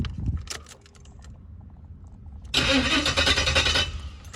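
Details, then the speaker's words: Box Chevy LS swap with harness changed for a 4L60E transmission; starter churns steadily but engine never catches and no fuel pump hum; crank no start caused by missing 15-amp fuel pump fuse. "Hold on, don't sound like the fuel connected. I don't hear the pump coming on. It was missing a 15-amp fuse for the fuel pump."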